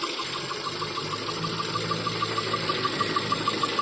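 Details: Toyota 4A-GE 16-valve engine, hot after a few minutes at medium or high speed: light, even tick about three per second over a smooth hum. Engine also jerks and sometimes won't pass 3000–4000 rpm; no ECU errors; cause unknown.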